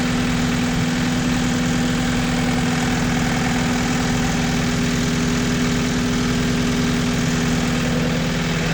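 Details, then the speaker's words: 1986 Toyota MR2 AW11 petrol engine after the last vacuum leak was fixed: a steady, even low rumble with no hunting or misses, a normal smooth idle. "And um you know once I took care of that u it started in idle no problem."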